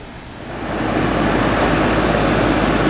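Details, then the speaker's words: 2001 HVAC unit after fitting a sequencer, thermostat on cool: steady fan and compressor rush with no rattles or squeals, no heat strips running, cooling normally before refrigerant check. "it's cooling now but we're gonna go check the freon like I said"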